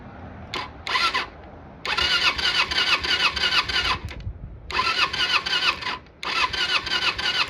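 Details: Kawasaki Eliminator EL250 motorcycle during restoration, spark plug removed to test spark: starter spins engine in several bursts of even chugging about three per second, never fires; spark off the electrode.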